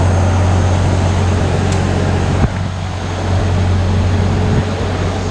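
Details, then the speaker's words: 1986 Ford Aerostar, 2.3 L four-cylinder, 5-speed manual, just started, owner believes low miles: deep, even punchy burbly exhaust rumble at steady idle, no knocks or misses; normal idle. "So it's got a nice punchy, it's got like a nice sort of burbly, farty rumble."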